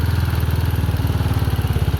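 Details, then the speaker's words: Chinese 250cc single-cylinder ATV with a new carburettor, choke off: fast, even thumping at about sixteen beats a second. Idle speed set too high. "but the Idol's definitely too high so he just cting along"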